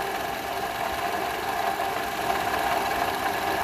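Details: 2012 Toyota RAV4 running engine: steady gritty whir and light rattle, unchanged with air conditioning compressor on; stethoscope locates it at the worn belt tensioner pulley bearing, dirt around it; alternator previously replaced.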